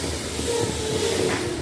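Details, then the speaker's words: Anvox ACA1001 powered speaker: loud constant hiss with faint crackle that stops when the front control board (volume, bass, treble pots) is pressed; broken trace suspected, possibly a faulty potentiometer. "Vocês estão vendo o barulho aí, né? Olha só. Apertando aqui o barulho some."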